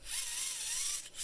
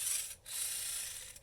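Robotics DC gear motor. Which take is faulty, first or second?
second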